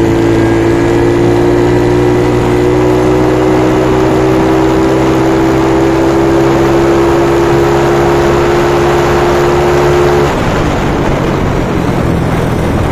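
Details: Freshly reconditioned carbureted Yamaha Mio Soul 160 big-valve big-bore scooter engine on test after refresh: even drone, steady pitch, no knocking or rattle, easing off near end; formerly noisy and rattly, now quieter, though not fully silent because it is built up.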